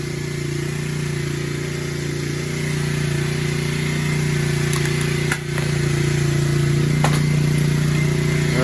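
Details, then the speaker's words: 2009 Kawasaki KLX250S after carb cleaning and fresh fuel, no longer leaking once running: steady single-cylinder thump with constant hum, lifting slightly into a brief rev at the end; idling fine. "Make sure that she does run fine. And this one will be up for sale soon. Yeah, she is idling just fine."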